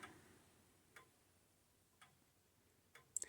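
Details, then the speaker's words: Old-style grandfather clock after turning the beat adjustment: quiet ticks about once a second with equal tick and tock intervals; the clock is now running in beat. "does that sound better tick talk tick talk tick talk sounds like that's a little better in beat"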